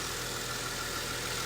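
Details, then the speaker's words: Normal cold idle of a Mercedes ML350 just after an oil service, engine stone cold; steady hum with no ticks, knocks or hunting, settling to a nice idle without revving. "really that's it you don't need to go revving them up or nothing silly like that just let them come from a nice idle again"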